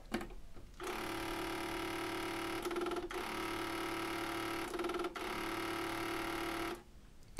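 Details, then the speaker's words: Sony TC-K561S cassette deck at power-up, before repair: a steady buzzing rattle with a mid-pitched hum and brief flutters. A turbulent internal mechanism rattle, cause unknown. "can hear the turbulent rattling noises the cassette deck makes"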